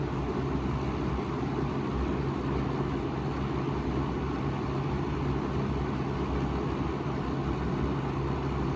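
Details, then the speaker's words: Wells Royal S-122 fan on low, louder than the Model 77 with a deeper pitch because of its smaller blades: steady deep hum with even air rush and no ticking, rubbing or wobble. Running normally. "that's mainly because the blades are smaller and that pitch is deep"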